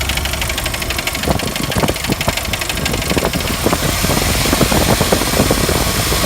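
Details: 1999 Jeep Wrangler TJ idling after warm-up with Lucas high-mileage oil treatment added: uneven tapping about two a second from front of engine, quiet when cold and louder as it warms; owner suspects timing chain slap, not bottom end or rockers.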